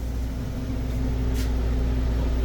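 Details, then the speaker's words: Walk-in cooler evaporator fan, newly installed equipment set up with R-448A, EXV and timed air defrost, 36° box temp, before the refrigeration starts: even, steady low hum with no rattle or wobble; fan running normally at low speed. "all right should be a monitor and our fan should be going to low"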